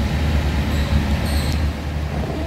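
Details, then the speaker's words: 1966 Buick Wildcat convertible idling with a deep, even V8 burble and steady low rumble, no knocks or misses; a very nice running car. "But it is a very nice running car from the little bit I've driven it around here."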